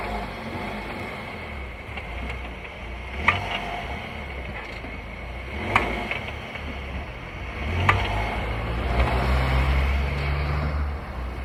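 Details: VW Tiguan rolling with road hum: sharp single clunks every two to three seconds as load changes; owner asks what it is, drivetrain clunk, suspects gearbox or dual-mass flywheel, unconfirmed.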